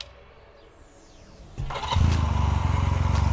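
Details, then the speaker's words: 1986 Honda Rebel 250 CMX, hot restart after a ride, following a starter clutch replacement: brief starter whir, then it catches at once and settles into a steady, even single-cylinder putter; hot start works. "well i don't know seems to be okay i guess uh that was a success everybody"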